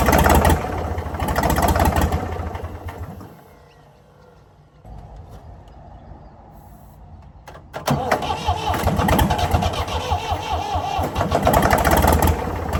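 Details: Previously seized Ford 4000 diesel tractor roars on starting spray, sags to a weak mutter, surges again; won't keep running without the spray, owner suspects throttle and air and a possible diesel leak.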